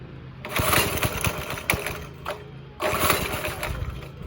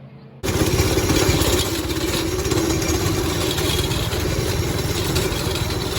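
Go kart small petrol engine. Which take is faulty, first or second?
first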